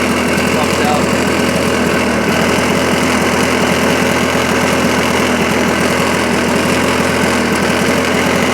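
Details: 1980 Lawn Boy model 8237 push mower (not self-propelled, hard primer bulb but otherwise works): loud, steady buzzing small engine holding constant speed with even firing, no misses or knocks; runs fine.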